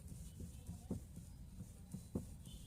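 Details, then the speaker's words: BMW GT with a power steering problem, knocking worse after hitting potholes: dull irregular low knocks, a couple of sharp ones in three seconds, thud from the front end; steering rack knock. "आप देखें, खटखटाने की आवाज़ आ रहा। अनेक आवाज़ की दुकानशोर ऐसा हो रहा है।"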